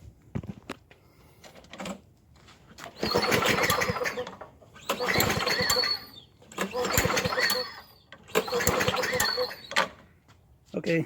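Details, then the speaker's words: Warm Toro Recycler lawn mower being run dry of fuel for winter storage; the engine catches in short surges and dies between them as the primer pushes only air, with the carburetor out of fuel. "okay so it died out now as i'm pressing this you can hear that air going through there's nothing left in the carb"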